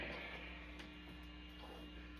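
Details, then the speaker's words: Fender Hot Rod Deluxe tube amp, channel 1 through input jack 1, off standby: steady low buzzy mains hum and very low volume, and the input jack is found faulty; constant hum. "Number 1, you can hear the hum. There's always like that hum. And it's also way too quiet."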